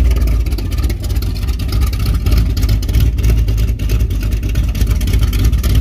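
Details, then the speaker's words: 454 big block with Thumpr cam in a Firebird, first start in two months, timing pulled back slightly: deep uneven loping rumble at about 800–850 rpm idle, good oil pressure, no knocks; normal. "good oil pressure hasn't even hit 160 yet idling like 850 [Music] or 800."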